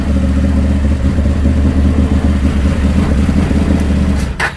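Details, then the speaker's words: Can-Am Maverick 1000 UTV engine with CVT clutch removed, running at a steady idle with even pulses, no clatter or rattle, then shut down; motor sounds healthy despite being sold as having a crank issue. "I mean, it seems pretty good. All right, guys, I am really happy."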